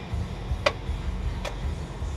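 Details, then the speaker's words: Pontiac Grand Prix raised up, passenger-side front wheel rocked by hand: two sharp clicks about a second apart; suspected loose coilover causing the clicking. "I can hear that clicking. Sounds like it's the coilover. We'll see how bad that is."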